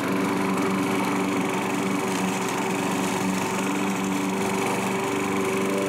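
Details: Curb-found self-propelled Craftsman mower, single-cylinder, after carburetor cleaning and reinstall; even, steady buzz with no surging or misses while cutting small growth: normal running.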